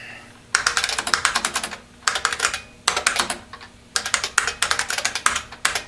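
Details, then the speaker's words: IBM Model F buckling-spring keyboard with numeric keypad, before disassembly. Runs of sharp crisp clicks, several per second, with short pauses in a quiet room, each like a switch closure: normal buckling-spring key click. "you can imagine an office full of these clickey clacking away if you listen listen carefully you hear that sound like a switch closure"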